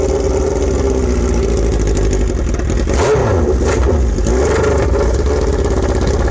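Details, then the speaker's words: Suzuki Bandit/GS1100E four-cylinder with new Mikuni RS36 carburetors and open straight header, first startup: loud blips rising and falling unevenly with ragged popping and flames; air-fuel mixture off, carbs still need tuning. "That sounded great, though. You can tell that air fuel makes us off."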